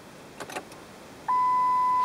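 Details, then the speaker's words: Car that won't start, key in run position with headlights on: steady high beep holding after a brief rustle, lights dimming, clock reset; low battery warning beep, dying battery. "dimming of the lights and the beeping are all indicators that we have a dying battery"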